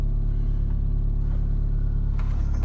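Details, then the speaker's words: Old Honda Civic, idling: low uneven rumble with steady pulsing shake and loose rattle, steering wheel vibrating; rough idle with rattle, cause uncertain. "i can't even grab it and stop it from vibrating this thing just rattles it makes a lot of noise"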